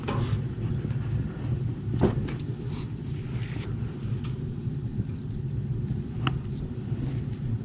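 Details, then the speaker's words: Hot water boiler heating zone tested after replacing leaking pinholed expansion tank with new Extrol tank: steady even low rumble with a few faint ticks, slight air noted; normal running. "The zone sounds good. There was a little bit more air."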